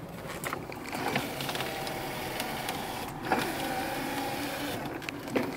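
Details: 1977 Cadillac Seville, about 30K miles, engine idling: steady low electric hum with a few light clicks over about six seconds as the power window motor runs sluggishly. Windows long unused and battery possibly low. Cause suspected, not confirmed.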